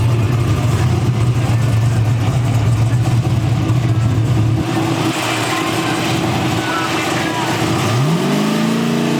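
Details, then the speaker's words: Turbo Gen VII big block Mustang on a high-gear pull: rising drone turns ragged and uneven as boost climbs, then a gear change; spark blowing out past a certain boost level, later addressed by gapping the spark plugs down. "So as we're going through the run, it's ramping up in boost. Once it gets to a certain boost level, it starts just blowing out spark."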